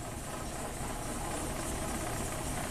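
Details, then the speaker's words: 1997 Kia Sportage 4x4, previously surging at idle, after reinstalling the idle air control valve and a throttle tap: rough-edged but steady idle with no surging or hunting in engine speed; idle settled and stable. "So maybe it's a little too low now. Let's tap the throttle here. Let it drop down to its happy spot. Okay, well that's not bad."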